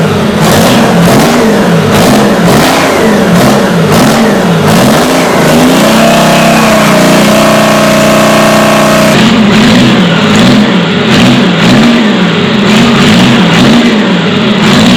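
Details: Detroit Diesel 6-71 two-stroke on first start: hard-revving bark climbing into a screaming steady high pitch past its limit; overspeed because the governor is broken inside and only partly working, then shut down.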